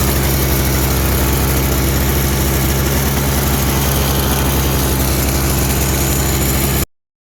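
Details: Toro CCR 3650 two-stroke snowblower after primer bulb replacement, electric start: runs steady and even at a fast idle, firing evenly with no misses, then cuts off cleanly; sounds healthy.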